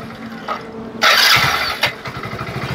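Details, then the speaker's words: Hero Splendor Plus BS6 single-cylinder bike after full engine rebuild with genuine Hero parts (clutch plates, timing chain kit, piston, crank bearings); brief starter whir, then soft, even idle; normal start and idle. "Start हो गई है और आप इसके engine की आवाज सुनिए दोस्तों जो इंजन के साउंड है एकदम मस्त हो गए हैं"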